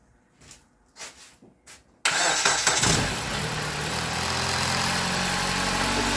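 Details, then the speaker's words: 2016 Jeep Patriot with misfire codes P0302, P0171, P2096 and P000A, after the replacement repair and clearing the codes: quick clean start into a steady, even idle. Runs smooth with the camera not vibrating. "Oh yeah, look at that. Camera's not even vibrating. It's running so smooth. Uh-oh. Cool. It's running real good."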